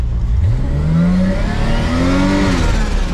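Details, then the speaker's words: Toyota Supra after the throttle linkage was bent about 2 cm to raise it, so the throttle now works; still no wideband or proper tune. Engine revs quickly and cleanly with a smooth rising note and no hesitation. Normal free revving. "Μάγκες, μόλις λειτουργήσε το γκάζι. Δείτε εδώ. Μόλις λειτουργήσε. Το αμάξι δεν υπάρχει."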